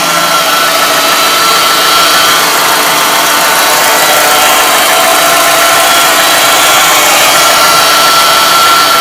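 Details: MG ZR with an engine noise that has worsened over time and can be heard from a distance; the alternator is suspected. Loud, hissy idle with a thin high whine that comes and goes. Abnormal engine noise at idle.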